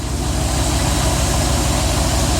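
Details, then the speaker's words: 1995 BMW E38 740i M60B40 V8 just after timing chain tensioner and camshaft position sensor replacement, idling smooth and even with a light throttle blip, no ticking or rattle; tensioner filled with oil after an unprimed start, running slightly rich. "the fan good step and that's how you do a tensioner running pretty smooth"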